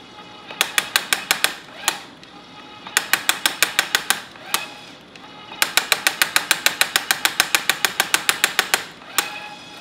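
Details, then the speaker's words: Electric tapping arm cutting 3/8 thread in thick 3/8 plate at about 75 speed in: rapid bursts of sharp metallic clicks as torque clutch slips, setting possibly too light; fix is tightening clutch with pin wrench. "you'll be able to hear it if it does so you hear that clicking that's actually the clutch engaging"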